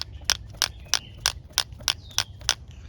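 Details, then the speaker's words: 1993 Mercedes 190 idle air control valve removed and worked by hand after vacuum leaks were ruled out: sharp, crisp clicks about three a second; valve moves freely, not stuck, though dirty and oily, to be cleaned. "uh we can hear our valve it's not stuck it is fairly dirty and oily so I'm going to run some throttle plate cleaner in there"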